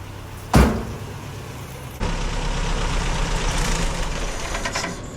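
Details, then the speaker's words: 1986 Toyota pickup, first start in 5 years after intake cleaning; door thump, engine catches, runs roughly about three seconds then stalls; owner suspects clogged fuel filter starving fuel; engine stalls after starting. "died, but it ran. It ran. All right, so as you guys saw, the truck did crank."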